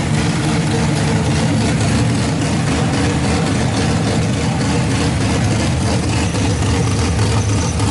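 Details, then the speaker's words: RB26 swapped into Subaru WRX, first start on Haltech Platinum ECU with base map, cooling not yet plumbed: loud, lumpy, uneven idle that won't settle; rough running, not 100%. "I mean it doesn't sound like everything is right. Yeah, it's not 100%."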